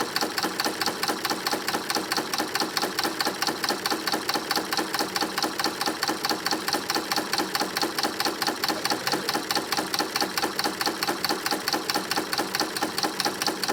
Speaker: Okay, so this area of the video, I'm leaving the volume at 100% so you can hear how this SWF MAS-12 sounds when it's stitching out. It stitches beautifully,